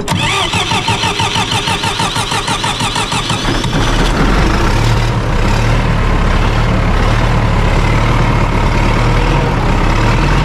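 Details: John Deere 450C dozer diesel with a new gear-reduction starter, a little air possibly left in the fuel line: fast even cranking for about four seconds, then it catches and settles into a steady deep idle; starts fine.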